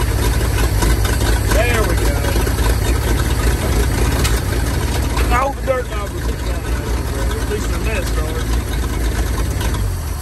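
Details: 1947/1949 International 1-ton flatbed truck, sat about 50–53 years, now running on used plug wires and gas: deep steady rumble throughout, easing slightly near the end, no knocks or misses; engine running normally.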